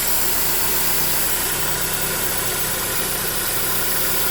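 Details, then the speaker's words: 2009 Holden Cruze JG 1.8L F18D4 4-cylinder, 6-speed auto, blowing white exhaust smoke, at idle: steady sharp hiss from the valve cover side, changing in pitch, a vacuum leak through the cracked built-in PCV valve; whole cover to be replaced. "So when we start the car, you can hear that this side is a hissing noise,"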